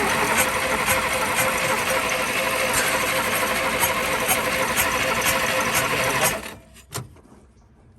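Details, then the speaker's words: 1951 Studebaker recently freed from a stuck engine; engine chugs unevenly about three beats a second, missing and stumbling before dying, because the coil wire fell out. "Oh, coil wire fell out. Let me unhook that coil before I kill myself."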